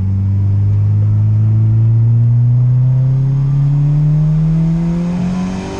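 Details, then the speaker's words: Turbo Honda Integra set up on about 6 to 8 psi, pull in third gear: strong steady rising pitch to high revs; above about 7,500 rpm boost builds beyond target, boost creep from the wastegate. "right at the top end of the pool it starts to build more boost than it should the wastegate like I said it's like six to eight pounds of boost and as soon as it hits like 7,500 or so it starts to rock it ship up and starts to boost creep"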